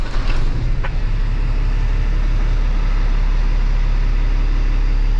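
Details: Kenworth W900 ISX diesel started after a head job, check engine light expected to clear: deep, steady idle rumble with no misses or knocking; it runs healthy.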